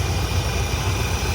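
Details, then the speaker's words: 1984 Chevrolet C30 crew cab, 454 big block with Quadrajet, after carburetor adjustment: low, even V8 rumble holding a steady idle around an estimated 1,000 rpm, down from about 2,500 before; no hunting or surging. "Listen to that sucker purr. Oh man, I'm so happy about this. It's idling down. It's probably idling at 1,000 RPMs right now."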